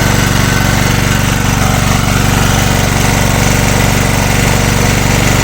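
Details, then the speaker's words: Small engine, likely a generator, running on gas after its head was machined to shrink the combustion chamber: under about a 1 kW load it pulses unevenly and shakes. The head work brought no improvement. "нічого нічого в лучшу сторону не помінялось та росточка його трусить начало це тільки на кіловаті"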